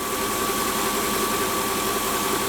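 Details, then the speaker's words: Mercedes E500, with the microphone held close to the front of the engine: an even idle with a steady whirring tone and a faint, oscillating rumble from the belt end. This is typical of a worn idler pulley or accessory bearing; the belt is to be removed to check. "can you hear can you hear that rumbling kind of oscillating sound uh that's typical uh of a bearing"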